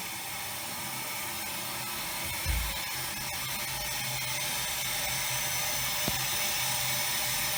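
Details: Air motor used as expander in low-temperature, low-pressure steam rig for waste-heat power, about five bar: steady hiss with faint fairly regular mechanical pulse, no knocks or grinding; settled and healthy.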